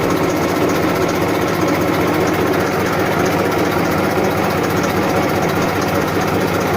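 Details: 1994 Massey Ferguson 1035 DI tractor diesel at constant low idle: steady, even hum with no knocks or misses; normal, healthy idle.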